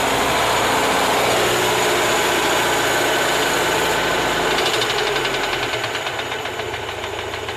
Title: Стук двигателя Москвич УЗАМ 412